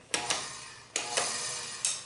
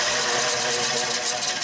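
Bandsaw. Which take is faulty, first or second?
first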